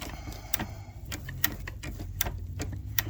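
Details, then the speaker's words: Superba knitting machine racking handle with loose racking: crisp, uneven light clicks about two a second as it's moved by hand, the spring-loaded ball detent snapping into the shaft's grooves normally. "you're hearing the ball go over the high spot by depressing the spring and then clicking back into the high cutaway."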